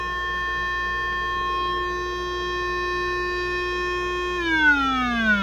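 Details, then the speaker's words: Zenith 4-B-231 radio speaker fed about 400 Hz at the primary of its just-repaired (previously open) output transformer, field coil energized by 9 V battery: clean steady tone sliding lower without buzz, rattle or distortion; normal test tone. "we're generating a signal about 400 Hertz and again you can see I'm hooked up to the primary side of the transformer that just repaired"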